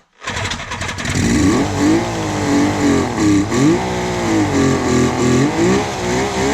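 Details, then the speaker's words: 1976 Suzuki GT750, first run in 30 years: catches, then revs up and down unevenly with a sputtering note and no steady idle; very smoky, air bubbles seen in the oil lines, needs more running. "I would say that is a very good sign for this old girl. I'm quite happy. Finally, something's come of it."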